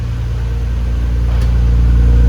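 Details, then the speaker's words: 1999 Nissan R34 GTR after cold start, idling; deep steady rumble, muffler sounds good, no popping, misfire or hunting, radiator fan audible, possible normal tapping noted, normal idle. "Muffler sounds good. There's no weird popping sounds or idling issues. You can hear the fan."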